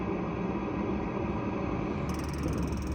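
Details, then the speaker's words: Globevan Campscout campervan gas heater/boiler on propane, heard at the vent just after start-up: a steady, even rush of hot air with a low burner rumble as it fires and runs normally. "All right, so that's a sure way to know that the boiler is working as it should, is to come around here and physically put your hand underneath this vent."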